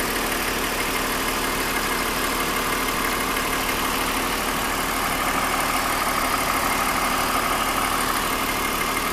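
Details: 2001 BMW 530i M Sport (E39) at idle: steady idle with light, fairly even tapping about three times a second over the hum; recently developed abnormal engine noise, cause still being investigated before repair.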